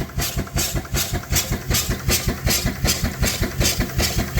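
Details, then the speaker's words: Steam engine driving a self-built alternator designed for about 60 V, charging a 36 V lithium iron phosphate battery at about 40 V and 30 A; steady puff near 2.5 per second with an alternator hum that grows louder under load; packing blown, leaking. "And you can hear the alternator humming. It gets a little louder when it's working."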